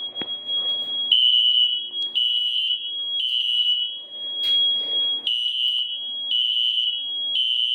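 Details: SFP1024 fire alarm panel during system test five: a shrill high tone pulses about once a second with choppy gaps. The sounder is wrong on mains power but correct when power is lost; cause not yet known.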